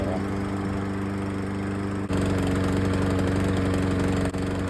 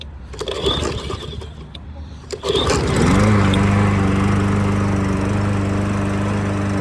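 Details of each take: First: Troy-Bilt lawn mower's small single-cylinder engine on its old carburetor before replacement, with the choke off; it thumps along but stumbles and won't hold an even beat. The original carburetor runs poorly once off choke. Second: Troy-Bilt lawn mower, cold start right after fitting a cheap Amazon carburetor; before, it ran poorly once warm with the choke off. A few rough pulls, then it catches and settles into a steady, even beat with no stumbling; runs clean.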